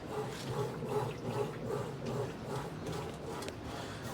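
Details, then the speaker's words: Frigidaire Affinity washer with error code E68, tested after a loose heater-to-main-relay-board connection was found and refitted: soft, even water swish two or three times a second; normal wash agitation. "so you can hear its agitated that's the agitation noise"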